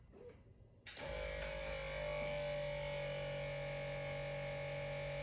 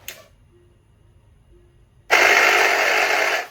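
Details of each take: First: Tesla Model S after replacing the air suspension compressor with an OEM unit, lifting from low mode after reaching 5.9–6 bar: a steady, even, quiet motor hum with no rattle. The compressor works normally. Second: Tesla Model S with an intermittent random noise, reproduced by changing ride height: a harsh buzzing whir for about 1.5 seconds. The air suspension compressor is faulty; replacement followed.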